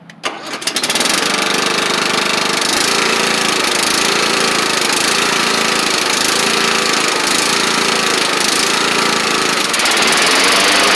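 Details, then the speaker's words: Kohler Courage engine on a Troy Bilt Bronco riding mower, after drilling out the carb jet. Steady, busy drone with a gentle rise and fall about once a second; it runs fine with only mild governor surge. "uh runs good and uh sometimes it's hard to get these coers to not surge a little bit but this one seems to be okay uh it could be a little bit better"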